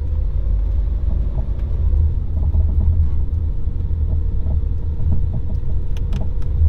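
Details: Ford Edge on a dirt road: heavy road rumble with sharp loose clunks and rattles over bumps, typical of a worn sway bar end link with play in ball sockets or bushings.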